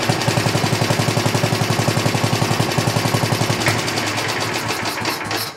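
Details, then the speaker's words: 1960s rotary push mower after carb cleaning and plug cleaning, air cleaner and fan shroud off, slightly rich; crisp even single-cylinder popping about four a second, winds down and shuts off cleanly: normal running. "rounds out and shuts off. Good. Sounds good."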